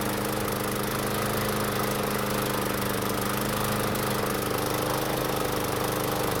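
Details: Toro commercial mower engine on test run after tune-up: uneven lumpy idle at about three or four pulses a second with wavering drone, smoking at start; runs rough, oil not overfilled, owner suspects piston ring wear.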